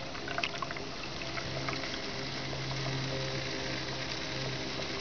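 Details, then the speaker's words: 2006 Prius inverter coolant pump, run by pressing the power button twice without starting the engine, while bleeding after a coolant drain and refill: steady watery gurgling and bubbling over a low pump hum as trapped air is pushed out and the reservoir level drops. "You'll hear a lot of gurgling, a lot of bubbling, and um the level goes down in the reservoir."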